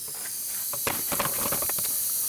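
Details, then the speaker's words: Used VW TDI PD engine on leak-down test, tester fitting at glow plug hole: steady airy hiss with faint crackles, tester reads moderate leakage partly from the leaking fitting; number 3 cylinder sealing well, unlike number 1 with bent valves and number 2 with possibly bent valves. "So if my fitting wasn't leaking, this moderate leakage would probably stay low. This cylinder seems to be sealing well."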